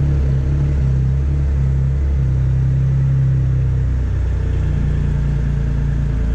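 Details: Triumph Rocket III after a TPS adjustment and idle control valve reset in TuneECU. Deep, smooth low rumble holding a steady, even idle with no ticking, hunting or stumbles. Normal idle.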